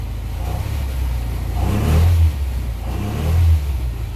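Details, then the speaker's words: Houseboat Volvo Penta 130 with 280 outdrive, after tune-up and swapping back to the first distributor cap, restarted after earlier failing: deep rumble swelling with two throttle blips and dropping back, pulling cleanly with no misses; normal revving. "let's see if i could start it up again i couldn't a while ago oh fired back up this time"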